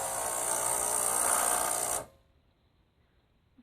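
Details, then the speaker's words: Starbucks Sirena (Saeco) espresso machine with its top off. Power and water lights come on but it never heats; the pump buzzes about two seconds then cuts out, no water comes through and a light keeps flashing. Pump runs but won't prime; owner suspects pump or thermostat. "problem i'm having is i can't get the water to prime at all even though it sounds like it's going on"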